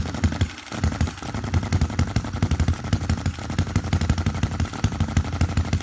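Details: 2022 Enjomor Chinese hit-and-miss engine after valve timing correction and an adjustable spring and screw added to the governor latch: sharp firing pops in even clusters with quiet coasting gaps, latching without the earlier high rev-up; governor working properly.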